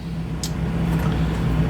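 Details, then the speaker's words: 1990 GMC Jimmy starting right away, then a steady low idle drone, even and unbroken with no knocks or stumbles; normal idle. "so you can you can hear it starts right up"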